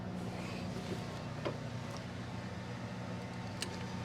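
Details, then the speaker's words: Kubota LX2610 tractor running: steady engine rumble with a faint constant whine that holds its pitch. This is the normal hydrostatic transmission whine; it has not gone away and is neither quieter nor lower than before. "It's not true. The whine on this transmission does not go"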